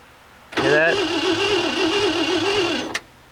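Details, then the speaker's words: 1967 Mercury Monterey with 390 big-block V8, parked since 1992, fresh fuel added and ground connected; about two and a half seconds of steady starter whirr without firing; no spark suspected; crank no start. "If she had spark, she'd be doing something. She'd be trying. She didn't even give it a shot."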